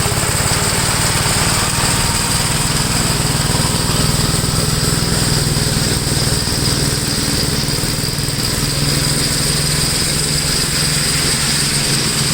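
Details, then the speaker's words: 1962 Gravely L/LI tractor, single-cylinder, mowing a field after valve adjustment and carburetor tuning: steady, loud chug holding speed under load, no misses or surging; runs acceptably. "okay it doesn't seem to be too bad"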